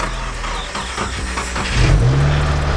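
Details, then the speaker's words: 2017 Subaru WRX Premium, 6-speed manual, 58,000 miles, wrecked auction car: engine started with the mass airflow sensor missing, settling into a deep, slightly uneven idle that swells as it picks up; runs fairly decently, dash lights on. "okay so it started up runs pretty decent even with the airflow sensor missing it runs probably all right"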